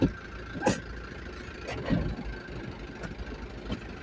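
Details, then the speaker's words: JAC light truck raised with wheels turning in gear: faint steady mid-pitch hum and a few clunks from the rear differential; whine attributed to low oil in the differential. "Como pueden ver, ahí está dando vuelta la llanta y sí, realmente se escucha el zumbido, el ruido en el diferencial, trasero."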